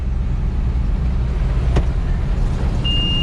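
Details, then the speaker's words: Corn combine elevator restarted after being stuck, tight chain having caused trouble: steady, even low rumble with no rhythmic clicking or knocking; elevator chain running smoothly. "okay don't hear any clickety clicky clack"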